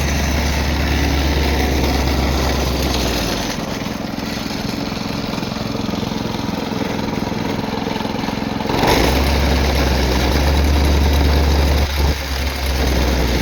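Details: Vibratory plate compactor single-cylinder engine starting after service (oil change, new spark plug, valve lapping and adjustment): it thumps along steady and even, dips briefly and picks back up cleanly. Normal running.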